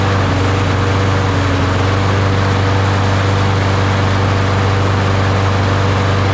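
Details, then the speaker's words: Craftsman push mower with a Briggs & Stratton 650 series engine: loud single-cylinder drone, rough at first then smoother, running only while starting fluid is sprayed into the air intake; the faulty carburetor isn't feeding fuel and gets replaced. "the engine started out kind of rough kind of rough and then it ran a little bit smoother"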